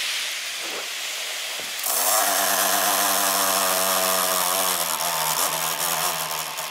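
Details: MSI GP66 Leopard (RTX 3070) laptop right fan after a few weeks of use: loud harsh whirring grind with rising hiss and squeal as fan spins up; owner suspects faulty fan or loose blades, fan jamming.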